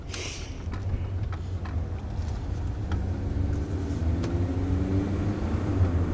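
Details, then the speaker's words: 2009 Chevrolet Cobalt test drive at about 30 km/h after replacing hub/wheel bearing assemblies that had been noisy for a year: low, even road rumble with no growl or hum; bearings now quiet. "do you hear that peie and quiet that's what I hear that's incredible like this is what it's actually like to have a quiet car"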